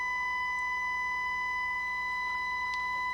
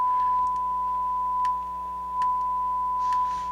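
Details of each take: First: Harman Kardon HK350i receiver, reported as having a scratchy channel, with a 1–3 mV test tone fed into the phono stage: the right channel is clean and steady, while the left is distorted, buzzy and fading in and out; the green capacitors are suspected. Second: Harman Kardon HK350i receiver, owner reported a scratchy channel; on the bench power test with a test tone through speakers A, the right channel now sounds clean, steady and pure with no buzz or crackle. The earlier distortion was possibly from the connections.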